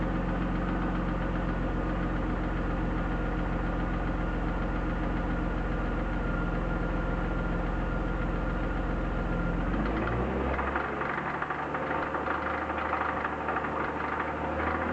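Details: BMW E36 323i, 1995, M52B25 inline-six, 140,000 km, idling: light rapid tapping about three per second, loudest at front of engine above VANOS; lifters replaced, upper chain tensioner new, lower tensioner fine, no metal in oil, no oil-pressure light; knock cause unknown, crank bearing or chain suspected.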